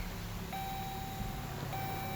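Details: 2015 Dodge Journey, failed start attempt: two long, steady electronic beeps about a second apart over quiet cabin hum, the key-not-detected warning shown on the dash.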